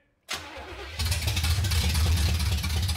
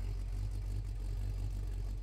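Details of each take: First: 1970 Oldsmobile Cutlass V8, sat about 15 years since 2008 registration: starter churns steadily about four seconds but never catches, then stops. Crank no start; choke poor, carb bowls may not be filling (suspected). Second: 1970 Oldsmobile Cutlass mild V8, revived after 15 years, listened at rear exhaust: low, steady burble, even beat, no lope or chop, sounds like a boat; slight chop only if fuel pump cuts before stall. Normal idle.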